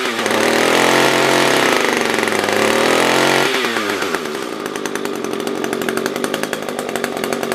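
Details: SRM-210 trimmer after carb replacement with new filter, plug, fresh gas and handle: crisp, clean rev dropping smoothly to a steady buzzing idle, no stumbling or surging; normal idle and revving.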